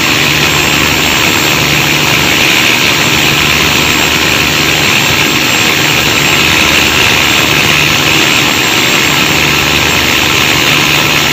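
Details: Marine Cummins KTA19 diesel running with a loud, steady roar and a harsh, rattly edge, no clean beat, producing noisy operation and black smoke; abnormal engine noise needing checks.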